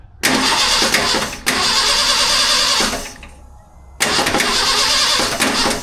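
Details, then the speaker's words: Truck that sat almost 15 years: two long cranking bursts, engine spins but never catches, and no fuel is arriving. Owner suspects the fuel pump isn't pumping and has no replacement pump. "Dadgummit. I bet that fuel pump ain't pumping. And I ain't got a fuel pump."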